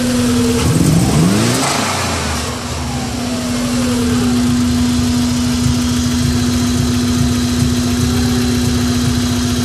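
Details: 1994 Subaru Impreza engine misfiring, revs climb and drop then ragged uneven idle pulse under a steady hum; owner suspects coil pack or MAF, cause not confirmed.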